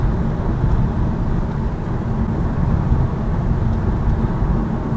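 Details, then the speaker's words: 2018 Lada Vesta Cross driving on rough road after padding the multimedia frame with double-sided tape: deep steady road rumble with no rattle from the frame; the frame rattle is fixed, though some vibration remains in the instrument panel. "Но нету дребезга этого. То есть простым таким способом убрали его. В общем, скрип вот этой панельки ушел."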